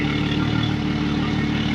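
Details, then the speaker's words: Yamaha F300 XSB2 4.2 V6 outboard at its 100-hour service, run on 89 octane with ethanol, idling on a flush hose; even low burble with a steady fast pulse, no knocks or rattles; normal idle. "We'll go from there. Everything sounds good. She's nice and smooth."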